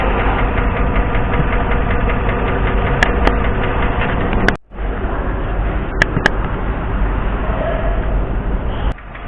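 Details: Petrol engine idling with a fast, steady light ticking over the low rumble; suspected valve lifter tapping noise.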